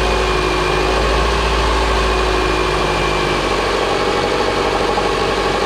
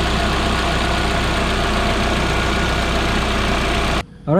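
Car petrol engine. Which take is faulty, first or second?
first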